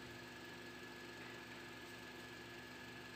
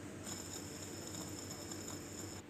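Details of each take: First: Honda CR-V air-conditioning compressor that sounded harsh when starting the car, after repair, at idle: quiet, steady hum with a faint even tone, no rattle or grinding; low side 30 psi, high side about 160, vent around 3 °C. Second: Car AC compressor pulley spun by hand with no load, compressor removed: thin, high, steady whine with a rough edge for about two seconds, worn pulley bearing that should be replaced soon or it will damage the magnetic clutch coil.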